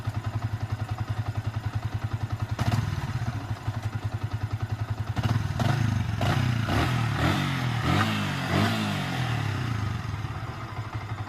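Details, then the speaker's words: Yamaha Vixion motorcycle engine after rebuild with new balancer bearings to cure rough noise, gears 1–5 checked normal: even, regular idle thump climbing cleanly through quick throttle blips, no knocks or rattles; sounds healthy. "Dan untuk suara mesin, teman-teman bisa membedakan antara sebelum dan sesudahnya."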